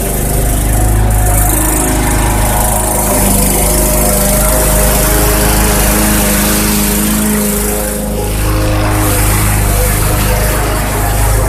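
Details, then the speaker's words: Bolens/MTD 11A-B0BL765 21-inch push mower (2014 or 2013), Briggs & Stratton 500 Series 140cc engine, repaired for a no-start blamed on old fuel. A cold start after about 1.5 hours gives a steady, even single-cylinder run with no misses or surging; normal running. "all right that runs just great blade seems to be sharp enough to cut"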